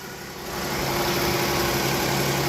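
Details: Vehicle with electro-hydraulic power steering just started after a power steering line replacement: quiet, steady low idle with no whine or groan from the steering pump while it draws fluid from the bubbling reservoir; everything sounds normal.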